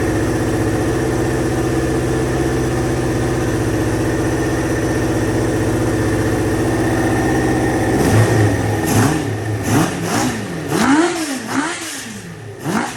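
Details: 2000 Kawasaki Ninja ZX-7R 750 with no tank fitted, just revived from no-crank/no-start, warming up: steady, even low idle, then a few clean throttle blips rising and falling smoothly. Normal, healthy running; owner thinks the carbs need cleaning.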